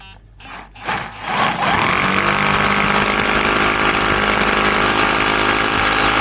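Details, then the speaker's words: Used Makita 18 V cordless rotary hammer after repair, test-drilling a hole in a wall: loud, steady, even hammering drone once the bit bites, no stalling or rattle; works like clockwork, normal drilling. "Работает как часы. Так что все замечательно."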